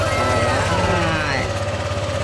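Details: Honda Click 125 scooter after replacing and adjusting the timing chain tensioner: steady, even idle putter, no more top-end clacking; timing chain now runs quiet.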